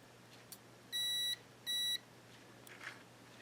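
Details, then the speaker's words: Yaesu FT-901DM transceiver with no transmit drive and no audio: multimeter in continuity mode across suspect relay contact while energized; two short beeps only when the contact is pushed closed with a toothpick; bent relay contact not closing, needs bending up slightly. "as you can see here when I push that contact a little bit up it makes contact so this this contact needs to be bent up just a hair so it'll make contact"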